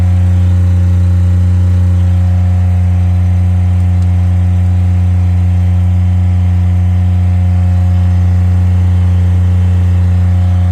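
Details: Miller Bobcat 200 Air Pak diesel welder-compressor running after repair of a compressor locked up by rust and water from a faulty intake valve: steady, even diesel drone with a constant low hum and no knocks or misses. It sounds healthy.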